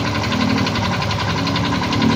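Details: Yamaha Mio i 125 scooter with 2,641 on the odometer, idling with a fast, steady metallic knock that other mechanics blamed on the tensioner or magneto: connecting rod knock with worn crankshaft bearing.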